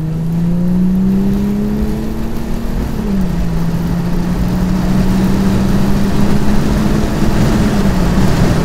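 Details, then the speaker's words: 3.0 TDI diesel with intake flap removed, a larger OEM intake pipe and no EGR valve, accelerating: strong pull with a smooth rising tone through the gears, no hesitation or flat spots; owner says no other car makes this sound. "il y a pas d'autres bagnole qui peut faire ce bruit là"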